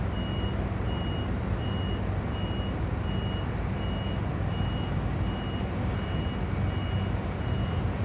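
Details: Crane sitting idle after the driver returned, doing nothing: a steady high beep about twice a second repeats nonstop over a low engine hum. Cause unknown; continuous warning beeping.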